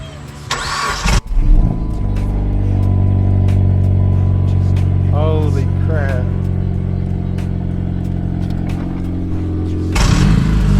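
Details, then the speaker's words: Dodge Caliber SRT-4, turbo, first start in years after the engine was buttoned up. Quick crank, catches and settles into a steady, even idle with a clean low hum and audible turbo; sounds healthy; normal start and idle. "all right up gang we in there sound good sound healthy you hear that turbo D let's go"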